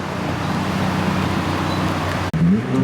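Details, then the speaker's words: Toyota Celica GT-S with turbo, TRD exhaust canister newly installed: a smooth, deep, even exhaust drone. The earlier rattle is gone and it sounds much better; normal exhaust note. "sounds so much better oh so much better guys [Music] that's so much better and no more rattling"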